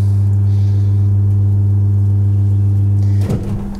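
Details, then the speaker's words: Dzhileks Vodomet 55/35 submersible pump on a relay pressure switch: steady low hum cuts off with a sharp bang in the pipes, water hammer at loud start/stop; before fitting a cheap HY-2 inverter pressure controller to prevent it. "вот чтобы таких гидроударов не было мы сейчас будем ставить мы сейчас будем ставить инвертор"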